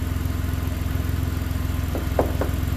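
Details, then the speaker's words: 2011 Ford Explorer first start after new powertrain installation, oil flowing, no dash lights: smooth, even low idle with steady pulse, no knock or miss. Normal idle. "Oil is flowing. Purring like a kitten. Listen to that."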